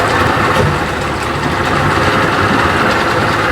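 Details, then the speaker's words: 1992 Johnson 60 hp outboard after timing screw was disturbed, started quickly with two primer pumps: loud buzzy idle about four beats a second with occasional stumbling miss; carburetor needle adjustment follows. "Oh, baby. That was pretty quick. I only had to pump it twice. She sound like she missing every once in a while."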